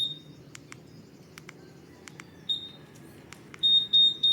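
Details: Honda Giorno+ scooter answer-back beep, being changed: short high-pitched chirps, single then in quick groups of two and three, over soft clicking.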